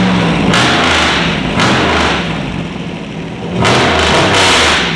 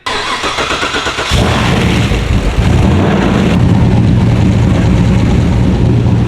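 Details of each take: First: LS V8 swapped into a BMW E46 with unequal-length headers, after everything was checked over: strong, clean rev blips that rise and fall smoothly with no tapping or misfire. Normal revving. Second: LS V8-swapped BMW E46: brief cranking, then a lumpy, wavering idle that never smooths out; still idling rough after many small fixes, cause not found.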